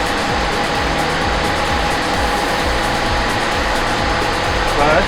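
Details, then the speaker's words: 1973 Duster slant six, sitting in a field unrun 21 years, boosted from a truck idling nearby: steady quick starter churn, no firing because ignition coil was not connected; cranking, no start, no spark. "not firing oh i forgot to put the coil on okay so now we actually should get sparked"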